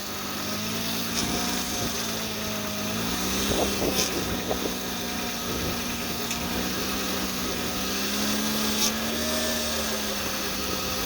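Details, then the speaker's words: 2003–09 Honda/Acura V6 running while steering is worked: wavering whine rising and falling, worse when cold, from air drawn past the pump inlet tube O-ring; power steering pump whine. "the reason why it winds is this is the intake to pour our steering system and that O-ring pulls air so when it gets colder and it shrinks and everything you get more air than when it's warm"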